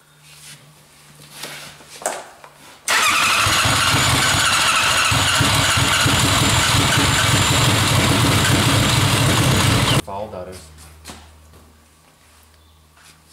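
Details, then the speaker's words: Engine fires after flooding, runs loud and raspy about seven seconds then cuts out; running very rich, fuel pump only kicks on once enough RPM is reached. "just really rich very very s"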